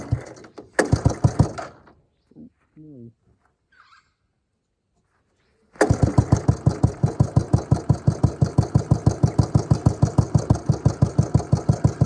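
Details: Suzuki LT250E Quadrunner single-cylinder quad after new fuel pump fitted for fuel starvation, idle and starting problems: short crank, catches, settles into steady evenly spaced idle thump with no surging or hunting; fixed.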